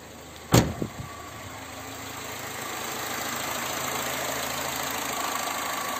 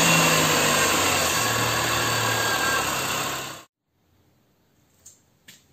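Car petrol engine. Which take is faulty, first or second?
second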